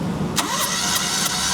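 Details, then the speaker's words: 2006 Perodua Kancil, cranking compression test on cylinder two reads about 110 psi, taken as passing; steady, even starter cranking with regular rhythm and no misses: normal cranking compression, no pressure problem. "Okey kalau kita tengok kat sini bacaan pun sama juga 100 a 10 lebih kurang belum capai 125. Kalau ikut undang-undang dia, dia dah lepas pressure dia. Bermakna tekanan ni kereta ni mesti tak ada masalah."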